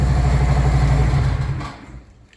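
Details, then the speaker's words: 2023 Harley-Davidson Road Glide Limited in neutral right after fitting new slip-on mufflers: loud, deep, lumpy V-twin idle with a strong low rumble dying away at shutoff; healthy, far louder than stock. "Once it's in neutral, and we'll see if we hear a difference. Does it justice. That's way louder than stock."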